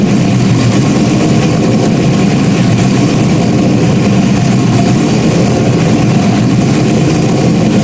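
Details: Rebuilt 5.3 V8 race engine, first start after nearly a year of rebuilding, slight fluid spray and drip noted: loud even idle, deep steady rumble, no misses or knocks, sounds healthy.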